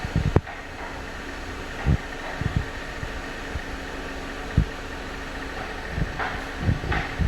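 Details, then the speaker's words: Jeep Compass after timing chain replacement to fix an engine rattle under revving: steady low, even idle hum with no knock or rattle, just a few clicks around the bay; normal idle after repair. "most important the engine feeling good sounding good customer will I'm sure the customer will be happy"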